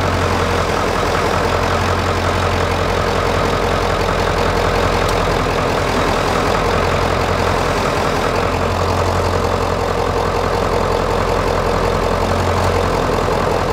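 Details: 1996 Ford F-350 7.3 L turbo diesel, started after several glow-plug cycles, during a belt-driven vacuum pump delete (replaced by an electric pump, shorter belt): steady, even diesel clatter at idle, no misses, knocks or squeals; running smoothly.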